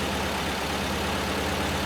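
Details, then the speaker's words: 1968 VW Type 3 with freshly installed 1835cc air-cooled engine, warming up, smoke burning off: steady, even low idle with a smooth, unbroken beat and no knocks or misses; healthy warm-up idle. "But it sounds damn good. I'll be back with whatever I decide to do."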